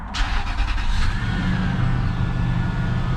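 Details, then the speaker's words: 2007 Toyota 4Runner auction rebuild, 151,759 miles, first start after swapping a dead battery for a new larger one: quick crank, catches at once, smooth deep even idle, no misses; normal start. "fired right up with that new battery."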